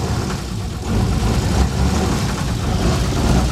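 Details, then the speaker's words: International Scout II Traveler with Nissan SD33T turbo diesel, upgraded starter, cold start: steady deep rumble held by foot at about 1,000 rpm, smooth even beat, making a lot of smoke; normal fast-idle warm-up. "what's happening now is uh my foot's actually on the gas right now because I got to let it warm up and typically I let it uh warm up at around 1,000 RPM for a bit and I'm actually making a lot of smoke"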